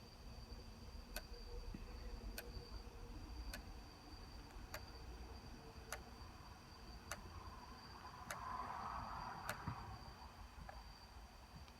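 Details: Sony D-90 Discman, just received: sharp evenly spaced click about every 1.2 seconds over faint whir while running; cause unknown.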